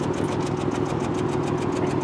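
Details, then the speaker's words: 2003 Honda Accord 3.0 VTEC V6, 165,348 miles, coil pack melted into the cylinder head: a rough, uneven idle pulse with the check engine light flashing. One cylinder is dead. Cylinder misfire at idle. "There's our check engine light letting us know that we have a cylinder misfiring. That's why it flashes."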